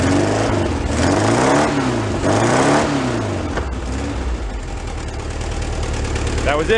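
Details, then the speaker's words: Kit Amante GT kit car engine after sitting 44 years, refueled and fitted with a new spark plug to cure a skip: runs even and steady with no skip or misfire, idle drifting gently; bad plug was the cause, now normal idle. "Bad plug. Bounce on all four. Smooth too. Nice and steady."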